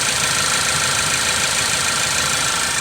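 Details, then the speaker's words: Ford Focus (about 2016) after fixing a cylinder 1 misfire: even, steady smooth idle with no skipping, check engine light cleared; normal idle. "clear check engine light cars running nice and smooth down no more misfires"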